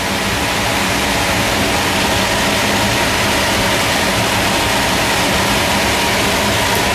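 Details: Air handling unit making a high-pitched noise at the supply vents: strong steady air rush with a faint constant whistle. Owner is eliminating a clogged intake grille, dirty filter, slack belt and misaligned motor/fan pulleys. Cause not confirmed.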